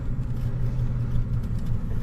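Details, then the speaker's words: 2004 Chevrolet S10 4WD on a test drive right after vehicle speed sensor replacement (fixed erratic speedometer and shift issues): speedometer now works, but a steady low droning hum rides over road rumble at constant speed; drivetrain source not pinned down. "speedometer works fantastic oh what is that sound that sounds terrible"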